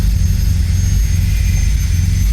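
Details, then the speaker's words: Toyota Great Corolla 4A-FE after ECU repair and data cloning, not yet at operating temperature, no check-engine light: deep steady rumble with no misses, stumbles or knocks while warming up; normal idle. "sudah baik, sukses selama engine cat enggak nyala dan cat jalan tidak ada masalah."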